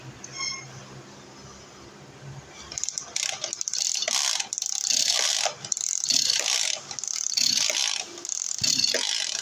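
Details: Two-stroke 767 sprayer engine, fuel line improvised, repeated ratcheting recoil pulls each a second or so with no firing; won't start. Owner then adjusts carburetor fuel needle suspecting fuel mixture.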